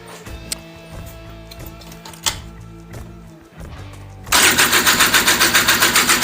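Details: Honda Odyssey FL350 two-stroke with a new DG exhaust, first-start attempt on VP racing fuel after priming fuel to the carb. Steady cranking at about four strokes per second that never fires; spark later confirmed good, so adjustment is suspected.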